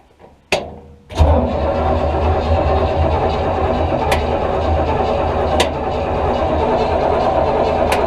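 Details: Buick 455 V8 in an old rat-rod mud truck, first start attempt in about 10 years, cold out, choke shut, fuel poured into the carb (needle possibly stuck): steady rapid starter churning, never catches; cranks but won't fire, spark suspected.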